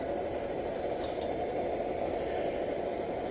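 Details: 1948 Major 236 lantern, lights off: smooth even low roar and steady hiss with no sputter, burner running clean and well pressurized.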